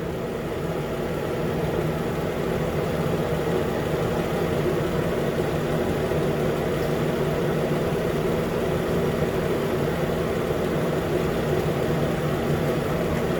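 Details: 2013 Nissan Pathfinder at 265k miles, idling after AC compressor clutch and serpentine belt replacement: smooth steady idle hum, no squeal, chirp or rattle from the belt side; engine and accessory drive normal idle.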